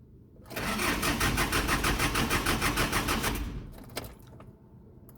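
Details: Hyundai H100 with a hard-starting problem: about three seconds of steady cranking, roughly three strokes a second, without catching. A broken glow plug control module is the cause.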